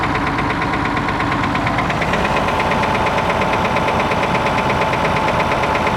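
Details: Perkins T6.354 M diesel at idle: sharp, regular knock about three times a second over the diesel clatter, cause unknown.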